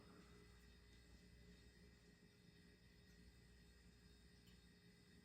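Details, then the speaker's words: Vintage 1994 Hunter Legacy 52-inch ceiling fan coasting down: quiet, smooth low whir with a faint steady hum, slowing evenly with no ticks or rubbing; normal, notably long spin-down. "man this fan is just flexing the spin down time"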